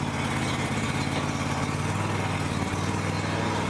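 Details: Low-hour John Deere X350 riding mower, abandoned then revived with fresh fuel and Sea Foam, final test: smooth, even low putter with no misses, knocks or surging; normal idle.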